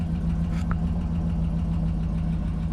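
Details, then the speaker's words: GMC Yukon Denali 6.2 after fixing no oil pressure (missing plug in oil pan hole): steady even idle, deep hum, liquid noise gone, oil pressure restored. "i just got everything buttoned up together now i'm about to start it up see what the oil pressure goes to yeah there you have it all the liquid noise is gone"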